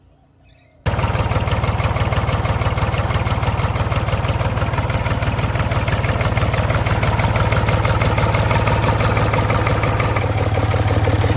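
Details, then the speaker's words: Previously seized Ford 4000 diesel tractor, now starting and running on its own: it catches after a short silence and settles into a loud, steady clatter with no misses. Owner finds it a bit noisy but doesn't know if that's normal for a Ford 4000. "Um, it is a little bit noisy. But I don't know if that's how Ford 4000s are supposed to sound."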